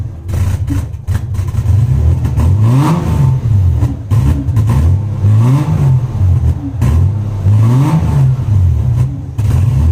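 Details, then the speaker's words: Lexus SC300 2JZ manual, cold, after fuel pump ECU bypass: engine sags and stumbles when revved, note rising unevenly and dipping, nearly dying; hesitation on revving when cold, owner wonders about fuel injectors, cause unconfirmed. "Because as you can see, when I tried to rev it after starting it, it went to die on me. Now, I don't know if that's just a typical thing with these cars till they're warm, but I did not experience that issue with my automatic."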